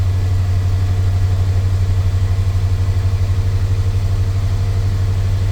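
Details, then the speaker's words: Chevy square-body crew-cab dually with 454 V8, after O2 sensor replacement, warming up: deep even idle burble, steady pulses, no misses or hunting; runs noticeably better than before. "It seems a lot more responsive without bogging down. Wow, I think it is a lot better there, guys."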